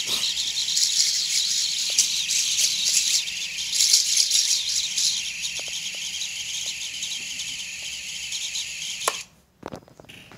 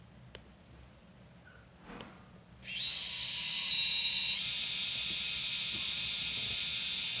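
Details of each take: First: Quadcopter on Betaflight 4.0.2 with Sunrise Cicada 30A F4 all-in-one and reversed props, armed at low throttle after smooth bench spin-up. Motors give a high, gritty, wavering whine with fast flutter and warm quickly; owner suspects vibration needing filter settings. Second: Betaflight 4.0.2 quad on a Sunrise Cicada 30A F4 all-in-one, props reversed, spun from the Betaflight motors tab: a clean high whine stepping up to a steady higher pitch, smooth, no vibration. Normal motor spin, though the owner reports the motors twitch and get hot when armed.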